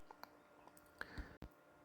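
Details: 2016 Harley-Davidson Ultra Limited 6-speed transmission, gear case running on the bench with sharp irregular clicks; metal shavings, abnormal lip wear and gear discoloration found; whole gear set replaced.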